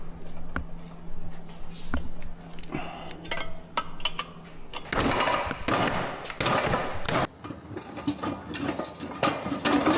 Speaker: It's not actually spinning anymore. Oh, it's because we're just throwing all that stuff back into the gear